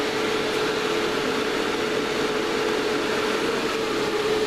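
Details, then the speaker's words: Series-connected cooling fans, noise level being metered before remounting; steady even airflow hiss with faint constant hum, no rattles or beats: fans running smoothly. "okay so polishes for the noise if you've got a sensitive disposition time to put your fingers in your ears that's a shame as yeah it's going to get a meter to show you what the noise level is"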